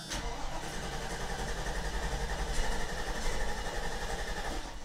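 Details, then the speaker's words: Mercedes-Benz W126 560SEC, idle control valve and vacuum leaks already fixed, hard to start: starter cranks several seconds with uneven chugging before catching, often needing two to four tries; fuel issue suspected, fuel check valves to be replaced. "she no likey sturdy it'll take two or three or four times oh-oh-oh-oh okay well that was two times sometimes it can take three or four for this girl to fire up"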